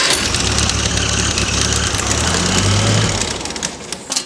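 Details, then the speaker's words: International 184 tractor with starter solenoid bypassed by jumping its terminals: engine catches and runs rough, uneven, then fades; it wants to run, starter solenoid is faulty and needs replacing, fuel may also need attention. "so as you can hear it wants to run but we just have to replace that starter solenoid"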